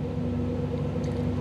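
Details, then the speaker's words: 1985 Camaro IROC-Z TPI, new engine build, in park/neutral: idle held fast while OBD-I scan tool is connected, with timing raised enough to cause some random misfire; idle drops to about 700–750 rpm when the tool is unplugged. "and i couldn't get the idle down it kept running fast like this"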